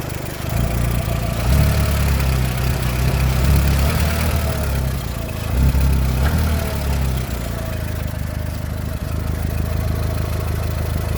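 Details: VW Golf 4 1.4 16v petrol: smooth idle with a low, even hum and no knock, after connecting rod bearing replacement cured a knocking sound.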